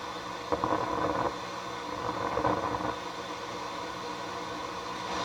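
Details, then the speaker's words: Sony STR-230 receiver on FM, no antenna, a strong station tried: steady hiss with faint hum and crackly bursts; stereo lost but noise remains; owner suspects a 56K resistor measuring 67K in series with the stereo pin. "Connect it up. And no stereo. But my noise is there."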